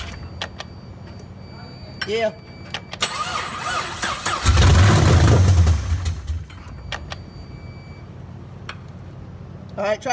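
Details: Camaro with multiple cylinder misfires, injectors popped out to check spray: starter spins the engine steadily about a second and a half without catching; cranks without starting.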